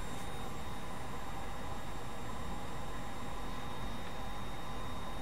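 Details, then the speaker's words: Brymen BM235 (EEVBlog) multimeter, backlight just switched on; thin, steady high-pitched whine over faint hiss, pitch rising in steps over a few seconds; whine from the backlight, reason for the pitch change unknown. "it's very painfully obvious that this rewind from the backlight and it seems to increase in Pitch is interesting over time"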